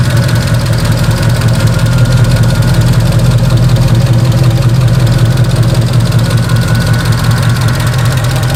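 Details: 2009 Mercedes SL63 AMG (R230) M156 V8 at idle; busy steady tapping over low rumble, ticking with engine speed, from driver-side bank 2 valvetrain; teardown found loose front cam caps scoring the camshafts.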